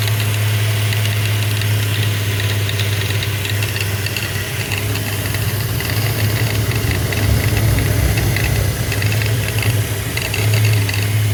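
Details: 2012 Subaru Outback 3.6R idling with a deep steady drone and an irregular light rattle and ticking over it, a strange engine noise.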